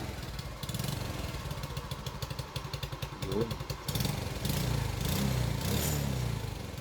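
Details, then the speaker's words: Smash Titan motorcycle, nearly 13 years old, digital ignition, top overhaul about 2 years ago: a small single idling with a loose, tinny clatter on the exhaust beat; the fault was traced with a stethoscope to the loose muffler. "Kasi bubuksan ko yung ano yan eh. Yung muffler. So, ang sakit niyan is muffler."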